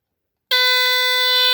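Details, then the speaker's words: Rare early Dicon 200 smoke detector (no LED) tested with cover on, quieter than with cover off; sudden piercing high-pitched continuous shriek holds steady, sounder working normally on test. "Okay. Louder with the cover off. Oh, that's strange. Well, at least we know it works."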